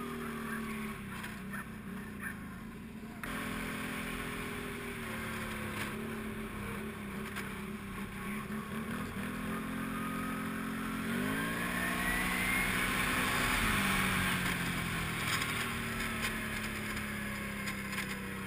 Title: Can-Am Renegade rattling noise